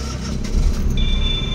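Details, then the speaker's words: Suzuki DA64W with K6A turbo engine, which has a low-power problem, cold engine just started: fast, high cold idle that hunts up and down, with a deep uneven low rumble and a faint high whistle; points to a misfire. "So ayan po mga kalbularyo, sobrang mataas pa sa RPM natin ngayon kasi naka cold engine po tayo. Ito po ay isang K6A engine turbo type. Yan. So halatang halata naman ngayon na nagsayaw-sayaw yung andar ng makina."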